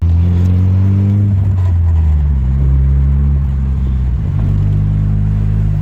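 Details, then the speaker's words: MK1 VW Rabbit with Weber 32/36 carburetor after about 20 minutes of carb adjustment: deep, steady engine rumble rising and settling smoothly with throttle, no surging or hunting; drives smoothly again, though still leaking oil badly. "there we go smooth sailing all right time to well after 20 minutes of messing with it it drives again uh it doesn't surge and drive smooth"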